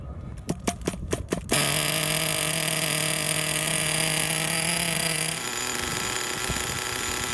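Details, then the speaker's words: Redcat Earthquake 3.5 nitro truck with .21 Big Block engine, on 20% nitro fuel, first start after repairs, carb idle screw and mixture later adjusted; sharp pops, then high buzzy steady scream held evenly before easing off; idled ten minutes without stalling; normal nitro running. "okay it ran really well I did a small break-in cycle I don't know whether in fact it was done before so the engine idle for about ten minutes it didn't turn off a single time"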